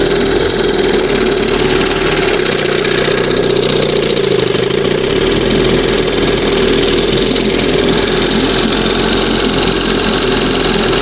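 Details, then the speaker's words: 1971 Johnson 20 hp two-stroke outboard, warm: fast, slightly uneven idle with steady buzzy drone. Sounds different but owner says still pulling air somewhere, possibly the makeshift hose; not confirmed. "But it sound it has a different sound with the new new stuff in there, but it's still pulling a little air from somewhere."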